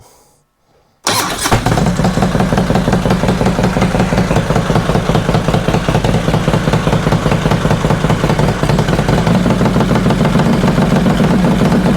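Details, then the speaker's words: 2005 Harley Road Glide after new lifters and pushrods, pushrods adjusted a further half turn: starts, then loping, uneven idle with a faint tick, quieter than before. Owner suspects a sooty, fouled front spark plug is causing pops and backfire. Valvetrain tick. "Well, I think it's definitely quieter than it was. I still hear a little tick, but definitely quieter than it was."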